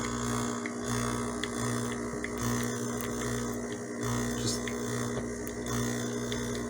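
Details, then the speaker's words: De'Longhi espresso machine pump, preheated, brewing very finely ground illy Classico espresso, lightly tamped: deep buzzing drone wavering and labouring as flow stalls before half a shot; pump straining against too-fine grounds. "And now it's struggling. That's the pump just dying. Look at that. And we're not even at half of an espresso."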